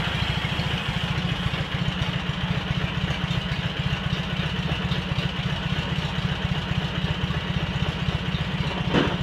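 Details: Cub Cadet 782 garden tractor with rebuilt 42-inch snowblower, started after sitting a couple days: steady even idle with low rapid putter, no knocks or misses; engine healthy.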